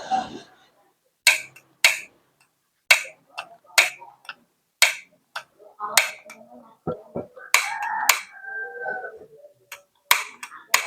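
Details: Gas stove: sharp igniter ticks about once a second, each with a quick rattle, no flame catch; igniter magnet checked and still good, technician suspects spider web in the igniter/magnet area; cause not yet confirmed.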